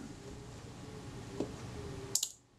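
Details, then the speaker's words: Kodak Retina IB (type 019-II) Synchro-Compur shutter after servicing, fired at 1/15 s; two crisp clicks about a tenth of a second apart, opening then closing, speed sounds about right before timer testing. "and that that sounds about right too"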